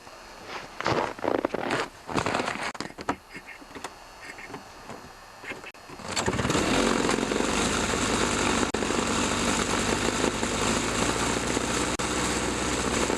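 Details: Toro two-stroke snowthrower after carburetor diaphragm replacement and repeated carb rebuilds, test run: after clunks of handling it fires and holds a steady even buzz with no misses or surging; running properly.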